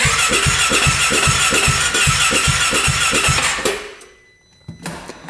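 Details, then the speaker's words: 2017 Polaris RZR 570 UTV bought from a dealer: steady starter cranking at about four compression pulses a second with puffs from the exhaust, never catching, then stopping. It cranks but won't fire. "Yeah, we're not getting anything."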